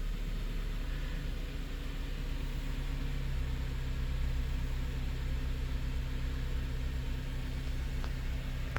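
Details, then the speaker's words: 2006 Honda Element K24 that had a P0301 cylinder 1 misfire: steady, smooth idle with no stumble. Live data shows zero misfire counts. "I can already tell that it's running really smooth."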